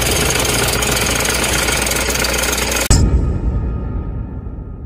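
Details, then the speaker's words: Toyota Innova 2KD diesel at over 100,000 km, battery light on: loud uneven KRUK knocking rattle about three per second at idle, pulley cover not turning with belt; finding: alternator one-way clutch pulley failure. "Here you can hear the abnormal sound KRUK KRUK KRUK sounds very loud."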